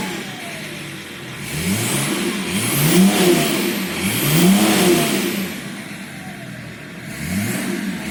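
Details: BMW M51D25 diesel (E34 525tds), slightly warmed up, revved up and down with a harsh metallic knock quickening with revs; owner blames an injector, cause unconfirmed.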